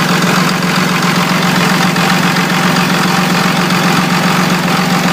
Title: Rough Idle 2002 24v Cummins